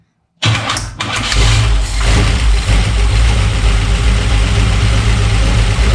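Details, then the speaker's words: Chevy 350 V8 in 1952 Ford F1 field-find truck, first start after over 40 years, carb fed by hand: starter whirs, then catches into lumpy, uneven idle with deep rumble; owner suspects timing slightly off, starter may need a shim. "okay so we uh might have to play with the timing a little bit but i think we'll uh put some fuel in the tank"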